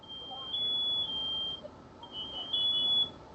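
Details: House carbon monoxide detector in alarm, shrill high beeps in two long bursts over a quiet room; owner first suspected the battery, but dispatch confirmed CO at 50 ppm in four bedrooms.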